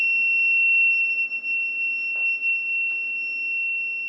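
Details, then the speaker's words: Wireless gas leak detector near leaking petrol: shrill, unbroken high alarm tone held steady while the transmitter senses petrol vapour; gas leak alarm. "as long as it is detecting you can hear the sound and I hate the sound the sound shows that there is a liquid there's a liquid somewhere that is detecting the gas"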